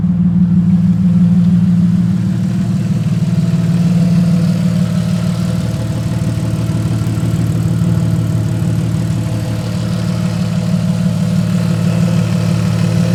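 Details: Car with half the exhaust missing, flywheel still to be machined and new clutch pending; loud, deep, steady open-exhaust idle with an even beat, no knocks or misses; idling fine.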